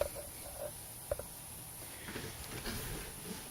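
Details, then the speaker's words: FSP OEM (Acer) power supply with a sleeve-bearing fan, after lubing the fan: only a faint, even hiss with a thin high tone. The former hornet's-nest buzz is gone, and the fan now spins smoothly and quietly. "okay power supply is running and the fan sounds perfectly fine now though no crazy noises coming from it doesn't saw like a hornet's nest anymore"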